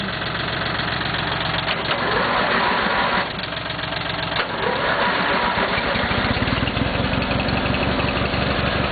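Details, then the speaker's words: Cub Cadet small single-cylinder engine after a motor swap, first start: steady, even idle with no misses or surging; kill wire disconnected due to suspected ground fault in the key switch. "Got a good idle on her."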